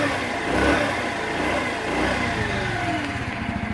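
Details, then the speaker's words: Honda Elite scooter, idle adjusted down slightly, just started with throttle blips: small single-cylinder putter, quick rev rising and settling, even firing, no knocks; starts well, needs a little gas; normal running. "it still starts up really good. Needs to get a little gas to get everything going."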